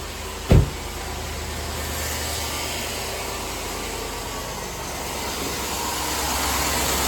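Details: 2005 Chevy Tahoe idling right after water pump and thermostat replacement, checking for coolant leaks; one sharp bang then low steady even hum, no ticking, knocking or squeal, healthy idle, no big leaks found.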